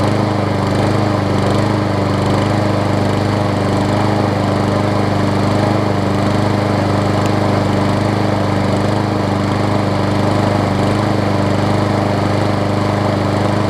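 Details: Scotts self-propelled push mower with Briggs & Stratton Quantum engine, about 6.5 hp, after carb clean and air filter refit, having sat a while: loud, even single-cylinder drone at steady speed, no misses or hunting; runs smoothly.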